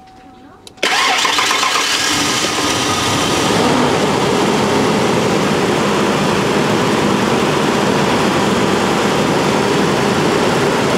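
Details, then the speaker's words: 1992 first-gen Ford Explorer, first run on gasoline since about 1998–1999 after fuel pump replacement, about two gallons in tank: brief crank, catches at once and settles to a steady even run, no misfire; thermostat suspected missing or stuck open. "first time it's run on gasoline since 1999 1998"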